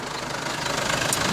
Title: Стук вакуумного насоса на Mercedes-Benz Sprinter с двигателем OM651